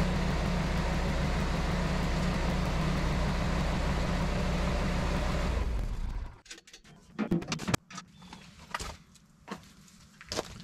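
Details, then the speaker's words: Generac 24kW standby generator after grid power returns and the transfer switch transfers back: steady, even unloaded engine drone in cool-down mode, then a clean automatic shutdown leaving faint clicks. "the transfer switch will sense that and transfer the power back to the grid the generator will run for a little while longer in cool down mode and then shut itself off"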